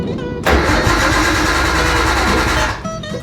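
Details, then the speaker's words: 1998 Nissan Skyline GTT, stock RB25 with newly installed Walbro 525 fuel pump; starter cranks steadily about two seconds but never fires, a no-start; later a jump pack was hooked up and spark plug cleaned. "Maybe with the hood open. Nah, it ain't gonna work."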